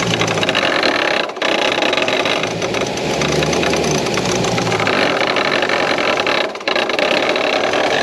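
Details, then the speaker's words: Lexus IS F with newly installed used supercharger, first start: rough harsh idle with scraping, rubbing clatter; supercharger belt tensioner pulley hitting the S-shaped outlet pipe, belt possibly too tight. "I found the problem, guys. The tensioner pulley is hitting the downpipe, the outlet pipe. The tensioner pulley is hitting the S pipe."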